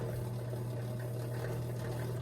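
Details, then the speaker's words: Kenmore Elite QuietPak 9 HE5T washer throwing F21 drain code, pump heard from below while trying to pump out standing water: steady low hum with thin watery churn, no water moving; sounds like drain pump impeller failure, washer did not drain. "it doesn't sound great it almost sounds like an impeller failure"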